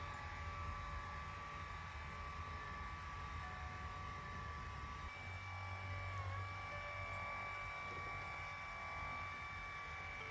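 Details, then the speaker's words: Lourdes massage cushion L (AX-HL168) after repair: only a faint, even low hum, no knocking or buzzing; buzz was a worn roller lifting and resonating under pressure, fixed by adjusting the roller shaft angle to close the gap, not grease. "音が消えました。ここを押さえることによってこのローラーが浮いたんでしょうね。浮いて響いて音が出たという。治りました。"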